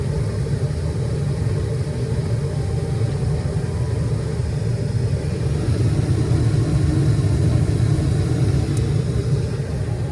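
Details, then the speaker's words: Furnace in normal operation, heat call after exhaust inducer fan creates vacuum: steady, even low blower rumble with no knocks, rattles or surges; everything normal and running good before further tests. "this is everything normal and it's running good we will do a couple tests now to see if there's any problem what will happen"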